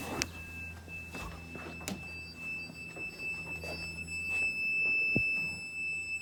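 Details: 1991 Mercedes 500SL, cold start injector line jumpered to a multimeter for a 12V test before the first start of the day: a thin, steady high ringing tone. It stopped when disconnected; the owner thinks the hookup wiring caused it.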